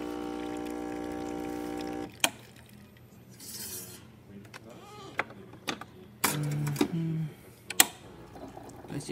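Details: Breville Oracle 980XL espresso machine, tested after replacing leaking O-rings (had rattling noise and steam activating by itself): steady pump hum about two seconds, then clicks and valve sounds; good water flow and pressure, normal operation.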